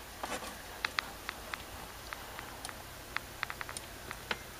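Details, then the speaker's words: 40 GB IDE external hard drive on a Windows 7 64-bit computer, works fine on XP: irregular sharp clicks and clunks about twice a second, drive retrying and never spinning up cleanly, not recognised; owner blames Windows 7 64-bit incompatibility. "listen to the hard drive listen to it put my camera up here you hear it I hope you picked it up clunky Cluny Cluny clunk clunk clunks it don't do it on XP"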